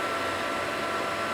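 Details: Propane Mosquito Magnet that hasn't worked since its last refill, just switched on: steady, airy fan whoosh at constant pitch while waiting for the valve click to light the flame. The fan runs, but the ignition fault itself isn't audible.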